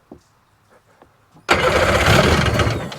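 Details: 2001 Sea-Doo GTX RFI 787 two-stroke, throttle position sensor and fuel rail refitted, idle turned down after idling too high: faint clicks, then fires and settles into a steady, even lower idle; running normally.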